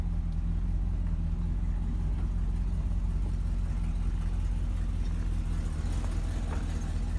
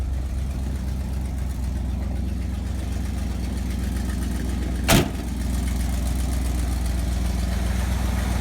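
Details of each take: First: Chevy Cheyenne C20 V8 after fitting a new Edelbrock 600 cfm carb and replacing the water pump that had a bad bearing, driven a couple of days: deep, steady rumble, even and smooth, the previous grinding gone. Normal idle. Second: Chevy Cheyenne C20 Trailering Special, carbureted, started after a couple of pedal pumps: low, loping, uneven idle with one sharp pop. It runs well at speed but sputters and wants to die at idle despite the owner's adjustments. Owner thinks it has a cam. Rough idle.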